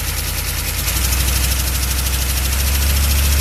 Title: chevy van 6.2 diesel engine knocking noise